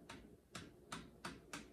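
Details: Aftermarket (non-OEM) stabilizer bar bushing: five dry crunches, about every third of a second as the bar rotates over bumps; OEM bushing silent; worn/noisy sway bar bushing.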